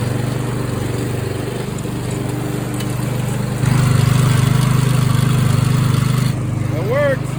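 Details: Mower after repair: magnetic clutch damaged by a loose bolt, bolt tightened, wire plugged back in, belt and spring refitted. Clutch test: even thump, picks up load smoothly when the blades engage, no rattle or slip. Sounds good, normal running.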